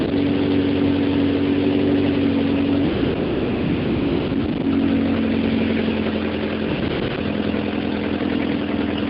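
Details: 1978 Porsche 924 NA, stock Audi 2.0L inline-four with K-Jetronic injection: uneven breathy puffing at idle. Octane was ruled out; the owner suspects an exhaust leak from a broken bolt at the manifold-to-catalytic-converter pipe, or an internal engine fault.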